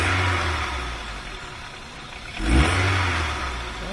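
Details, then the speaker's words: VW A3 2.0L (Mk3 Golf/Jetta platform, possibly automatic) that was gutless on test drive: idles fairly nicely but on acceleration revs rise sluggishly, sag and want to cut out, won't pick up with throttle held open; exhaust restricted. "it eventually gets to the point where you can hold a throttle open and it just won't pick up anymore and that's because the exhaust is restricted"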